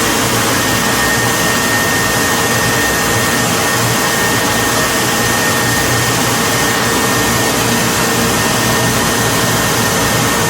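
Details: Whirlpool dryer: steady even drum whoosh with a faint thin tone, no grinding or thumping, running smooth and quiet; normal running.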